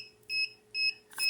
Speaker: and you hear that little beeping that's because the temperature went down and see that's just don't want you to tell you that you're not at 38 degrees